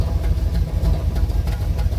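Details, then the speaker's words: Car with Flowmaster exhaust and a cracked radiator (no coolant, short run), heard at the rear exhaust at idle. Lumpy, uneven rumble with an occasional stumble; slight misfire. Owner suspects a sticky hydraulic lifter, a dead cylinder or a blown head gasket. "I was thinking it might have a dead cylinder, a blown head gasket or something like that."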